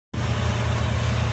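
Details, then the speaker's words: Car settling into a steady, even low warm-up idle with no misses or knocks; the power steering pump noise is normal. "And don't you know, it just runs like it's supposed to, eh? That's the power steering pump making all that noise, which is normal for this thing."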